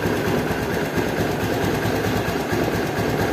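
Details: Honda Beat injection scooter CVT after repair and reassembly: even, steady whirr from the belt drive with no knocking or rattling; the CVT now runs smooth and quiet.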